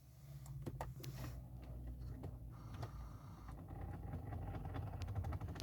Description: Engine not starting, just tick